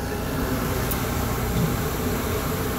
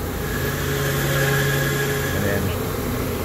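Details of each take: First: AAON unit supply fan after the Baldor fan motor's bad bearings were replaced: smooth, even air rush and low steady drone with no knock, squeal or grind. Normal fan running. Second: AAON unit with draw-through fan wheel and Baldor motor (such motors fail at 2 to 4 years): steady hum with a thin high whine and rough rumble at constant pitch; worn fan motor bearing, before replacement.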